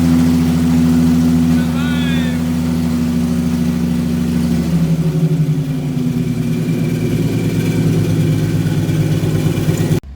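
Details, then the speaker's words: Ford Mustang Cyclone V6 race car that shut off mid-track and would only crank, after fixing a switch: it fires and runs with an even, steady beat, settling from a higher to a lower idle with no misses, running normally. "we're just going to fix this switch and that'll be it for the night fire it up to show you guys she's living"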